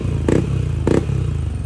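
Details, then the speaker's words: Yamaha NMAX V1 with new engine block (old one scored from oil starvation), RS8 pulley, bell and lining, fresh oil change: low, even engine hum with a few soft thumps, no knocking or rattling; engine very quiet, repaired. "Okay na siya, gawa na siya. Tahimik na tahimik yung makina."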